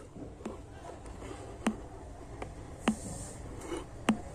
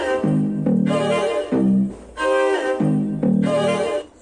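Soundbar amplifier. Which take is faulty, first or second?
first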